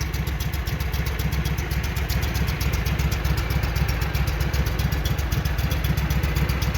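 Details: Walker mower that had been backfiring through the carburetor, running after repair while checking before a grass test: even, steady chuffing beat with no misses, pops or knocks, normal running.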